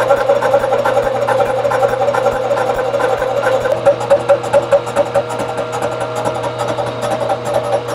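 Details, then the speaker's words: 3-inch face mill on the last, unsupported flange of a warped Ford V10 exhaust manifold: steady ringing squeal over the cutter's fast pulsing during feed, poor surface finish. Face mill chatter from flange vibration. "you know i'm not really happy with that i'm not happy with that we're going to do something different here well i was not happy with the surface finish on this last flange"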